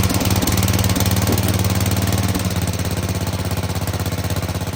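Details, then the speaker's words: Sears Suburban 15 mower single-cylinder engine after fitting a brand new fuel pump: steady even chugging about 140 beats a minute, unbroken, settling down; runs cleanly; normal running. "the bottom line is we got a brand new uh fuel pump"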